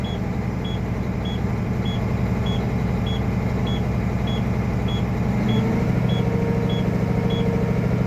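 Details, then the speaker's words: International truck in-cab pretrip, diesel idling while air tanks build from low toward 85-100 psi and governor cut-out near 120 psi: sharp high beeps about twice a second; low air pressure warning sounding. "goes my lower warning on"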